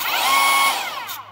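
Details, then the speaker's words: Chinese-made Makita-type cordless mini chainsaw, partly disassembled, after a controller replacement, speed set to maximum: the motor whine drops as it coasts down, with a short rough rub just before stopping. Scrape cause unclear; drive gear possibly needs replacing. "Ну что-то там шоркает вот когда останавливается двигатель слышите шорк"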